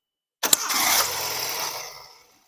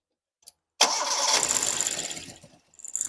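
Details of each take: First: Engine on first start: catches with a brief rush, bogs down and dies within about two seconds, then only cranks on retry; owner suspects the fuel pump is not supplying fuel. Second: Car that would not start, restarted after the fuel pump was replaced; the no-fuel fault was diagnosed by spraying starting fluid into the throttle body: short crank, prompt catch, two clean even revs; normal start.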